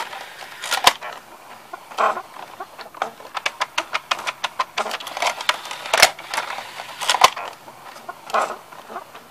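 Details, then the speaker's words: Magnavox CD4000 CD changer running: chirpy squeaks and irregular clicks, about fifty a minute, from the mechanism; owner suspects something inside needs greasing, location unknown. "yeah you can hear you you know you might be hearing a squeaking sound in there I don't know I think something needs to be greased in there but I do not know where it is"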